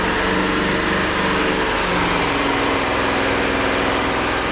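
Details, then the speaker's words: 2000 BMW M5 V8 warm idle in winter: smooth, steady low burble with no ticks, misses or knocks. Healthy idle, though temperature dropped to 75, and a new OEM thermostat is pending. "sounds good feels good seems like I don't have anything to be worried about nice smooth steady idle"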